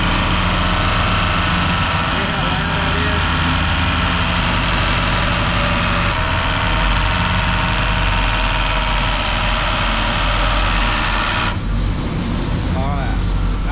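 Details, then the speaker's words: 1991 Chevy 1500 OBS truck with a year-old AC compressor: loud, heavy idle with a harsh, irregular knock about three per second that stops when the engine is shut off; failing AC compressor knocking. "Alright, you can tell that thing sounds terrible. It sounds like it's about to throw a rod."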